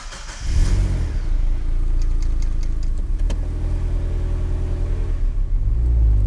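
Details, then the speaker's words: 2005 Mazda Miata with newly installed turbo kit, first drive: pulls smoothly to about 3000 rpm with deep even exhaust note and a slight turbo whoosh, no knocks or rattles; turbo spool sounds normal. "that was only like 3000 rpm you heard a little shoo so i mean i'm hyped on it"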